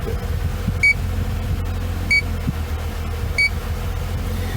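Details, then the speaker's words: BMW R50 MINI A/C, electronic leak detector passed slowly over the top vent: short high beeps about every 1.25 seconds over steady hum, detecting a very slow refrigerant leak at the evaporator core or expansion valve. "what we're going to do is we're going to turn on our leak detector and we're gonna very slowly play it over and you can hear it or top vent [Music] and there's a very slow leak"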